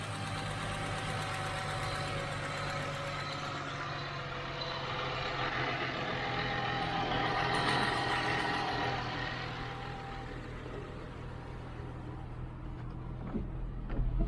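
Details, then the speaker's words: 2009 Ford Mustang V8 with aftermarket cold air intake, after the noisy AC compressor was dealt with: idles and revs smoothly with an even note and no power steering or accessory whine; sounds healthy. "Okay, guys. It sounds good. I don't hear that power steering whining or nothing."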